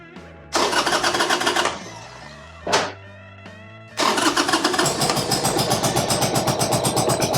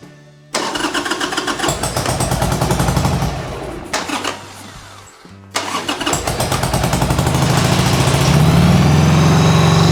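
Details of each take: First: 1995 Harley-Davidson Sportster, cold start with choke: catches after a couple of tries, then runs ragged and stumbling, seemingly on one cylinder; suspected misfire. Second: 1995 Harley-Davidson Sportster flat tracker project: catches after a couple of tries and settles into an even, fast two-cylinder beat on partial choke; both cylinders firing, high idle, carb clean still needed.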